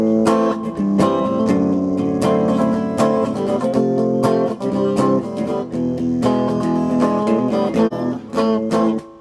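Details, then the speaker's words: Probably mid-1980s British solid-state Carlsboro Scorpion Lead guitar amp after input jack cleanup and reverb wiring correction: strummed guitar comes through full and clean, with no crackling or cutouts. "clear no more wonky input no more crackling anywhere"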